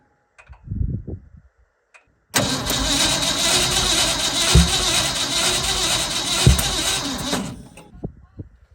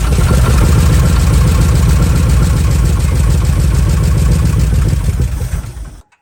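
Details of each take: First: Old Ford F100 bought sight unseen, first start attempt; catches roughly with loud irregular pops and coughs, backfiring; plug wires were set for clockwise firing order though the rotor seems to spin counterclockwise; wrong firing order suspected. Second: Old Ford F100 truck, first start after purchase; backfiring traced to distributor firing order set clockwise instead of counterclockwise, corrected; now fires and holds fast, steady pulsing idle before shutoff, firing evenly.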